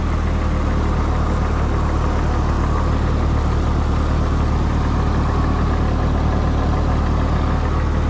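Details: Old tractor that sat unused all winter, cold start: steady, low, even idle with a mild regular pulse and no misses or knocks.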